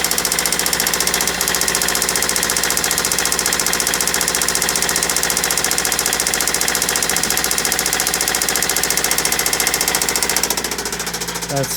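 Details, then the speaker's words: Toyota Celica with replacement JDM engine, freshly started: sharp, even knocking about 2.5 per second over rough idle; carbon buildup suggested, but still knocking near operating temperature; owner thinks it needs replacing. "freaking awful that doesn't seem too bad but clearly that sound is horrible"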